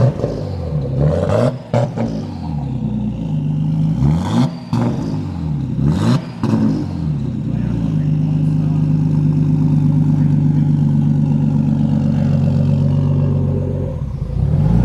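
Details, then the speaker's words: Nissan Skyline R33 RB25DET on first start after rebuild: uneven, stumbling revs with clattery blips while the MAP sensor is unplugged, then a smoother steady hum once it is plugged back in; rough running from unplugged MAP sensor. "What was that? Oh, map sensor. Plug in the map sensor."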